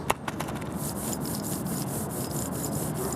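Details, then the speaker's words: Removed original front wheel hub bearing from a 2006 VW Jetta MK5, turned by hand: gritty rasp with rhythmic swishes and light jingle; worn bearing that caused howling when driving, worse turning left, new one silent. "so there's definitely kind of a jingle and there's also kind of a sh sound too"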